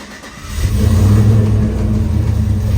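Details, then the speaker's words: Truck with a 6.2 engine swap, not yet tuned: struggles slightly to start, catches after brief rough crank, then steady even idle without the former cam chop; hard start blamed on lacking tune. "it does struggle a little bit to turn on just because like I said it still needs to get tuned"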